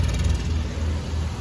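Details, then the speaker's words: 2010 Subaru Forester/Legacy with new plugs and wires, recorded at exhaust at idle, vehicle vibrating: deep uneven thumping with pop-pop-pop stumble in idle rhythm; cylinder misfire, ignition coil suspected then tested with test light. "we'll go back to the exhaust and you can probably hear it popping hear that sound that pop pop pop pop that's a misfire"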